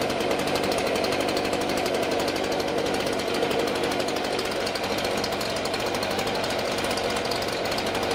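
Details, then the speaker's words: STIHL BG55 two-stroke blower after a new spark plug, air filter, fuel filter and spark arrestor, on fresh mixed gas: a fast, even buzz at constant pitch with no stumbles or surging, running smoother. "The blower sounds like it's running smoother to my ears."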